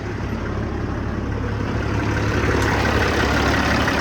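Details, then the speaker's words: Kenworth T600 semi idling while a newly installed manual air-line fan clutch switch is tested: small air hiss, then a rush of fan noise as the clutch engages; steady diesel rumble, fan clutch working properly. "Gotta hear the little air hiss, and you can really feel it engage right away and hear it too."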